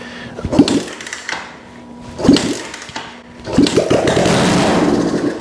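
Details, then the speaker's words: 1972 Honda CL350 after no-spark diagnosis, started on starting fluid with no exhaust fitted: a few ragged pops, then it catches and sputters unevenly. The ignition is firing again. "that's sounds like life yes let's put it back together"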